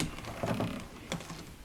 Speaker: now you can hear the rattling sound that's because I changed some of these parts and the only way to do the new part was to push the old part inside the drum